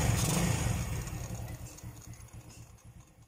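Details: Euro Sport R125 motorcycle after replacing the exhaust gasket/O-ring to cure noise and backfire: an even, low putter at about four pulses a second with no popping or rattles. It idles normally.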